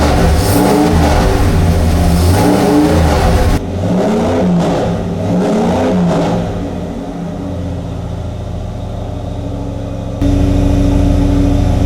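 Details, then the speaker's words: Drag-race Mopar 340 V8 for a Dodge Dart on dyno during camshaft break-in, oil around 200°F: strong, even burble rising and settling with throttle, no knocks or ticks, no leaks, good oil pressure; normal running. "So far, I got no leaks, no nothing. Everything sounds good. Oil pressure is good."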